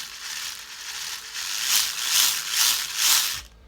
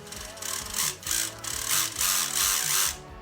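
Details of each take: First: Axial Capra RC crawler transmission after the gear mesh was loosened to cure clicking and loud running: short bursts of light gear whir with throttle, no clicking or skipping. The gearbox sounds normal. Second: Axial Capra RC crawler transmission before servo fitting: loud gritty gear whine swelling with each throttle burst, about three per second, plus clicking; suspected pinion or gear mesh too tight, to be inspected.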